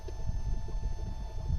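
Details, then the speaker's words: Lift pump on a Dodge Ram 50 swapped with a 1.9 ALH TDI turbo diesel, key on with engine off, priming to bleed air at loosened injector nuts after the truck ran out of fuel; low irregular clacking pulses, pump trying oddly. "It's kind of clacking in a weird way. It's trying."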